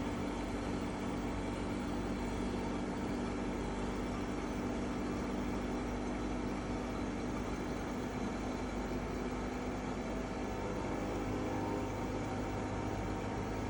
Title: EcoFlow WAVE makes an unpleasant and loud noise. Video 3